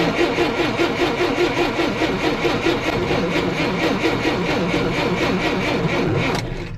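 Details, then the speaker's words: 1958 Lull telehandler/cherry picker parked 15 years: steady cranking at about two and a half beats a second for six seconds with no firing; spark plug check shows no spark, crank no start. "it appears we do not have any spark"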